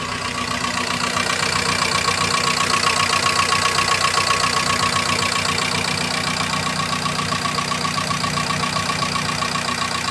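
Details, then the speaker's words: Fiat Doblo 1.8 16v with engine noise and an oil warning light, started up: fast, even top-end ticking at idle, typical of hydraulic lifters. "É, funcionei o bichão aqui, velho. Ficou com barulho em cima ainda."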